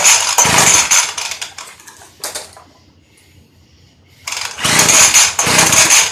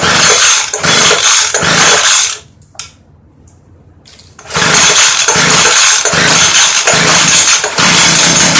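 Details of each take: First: Early-2000s Craftsman Bushwacker 358.795792 19-inch 25cc hedge trimmer, cold start after replacing broken fuel line and crumbling foam air filter, 40:1 fuel: sharp two-stroke buzz revs hard, drops cleanly to low idle, picks back up without stumbling; running properly. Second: Craftsman Bushwacker 358.795792 25cc hedge trimmer, early 2000s, with a broken fuel pickup line and a crumbling foam air filter: two short bursts of high buzzing that each die abruptly, running only on primed carb cleaner and fuel, then starving.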